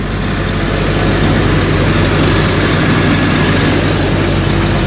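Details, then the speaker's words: 1999 Jeep Cherokee after replacing a starter that gave no click with a new Mitsubishi starter, first start: steady, even idle with smooth low rumble, no knocks or dropouts; healthy. "And let's give it a first time start. Hope that it's gonna work. Oh, sounds good."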